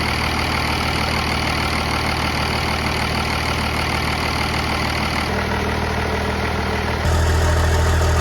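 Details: 1969 Dodge D200 Sweptline with a swapped 5.9 first-gen 12-valve Cummins (grid heater), cold start at 23°F in Missouri. Deep, steady, even diesel idle clatter; the note steps up briefly near the end, running clean: normal cold start idle.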